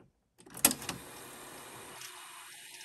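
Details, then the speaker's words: 1976 Sony SL-7200A Betamax player under repair, fast forward retried after a full rewind: a clunk as the mechanism engages, then a smooth, steady whir of tape winding at speed; it started right away, working normally. "all right that time it went right away looks good"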